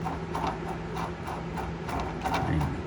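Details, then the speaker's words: Rough, rusted pilot needle bearing where the gland nut rides, on a VW Bug during flywheel and clutch removal: gritty, ratchety rasping in quick pulses as it is turned; it had made a horrible noise; to be replaced. "And if the needle bearings are shot, you're gonna hear a lot of noise."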